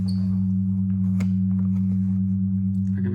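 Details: Original heavy Amiga 500 power supply: loud, steady, constant-pitch low buzz-whine through the speakers, from about 600 mV peak-to-peak, 200 Hz ripple on the 5 V line leaking into the audio; fixed by replacing capacitors.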